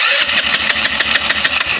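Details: Rusi Flair carbureted GY6-type scooter, fuel gauge showing three bars yet no gas reaching the intake manifold, ignition checked fine: fast, even cranking clatter about six beats a second that never catches; cranks but won't start.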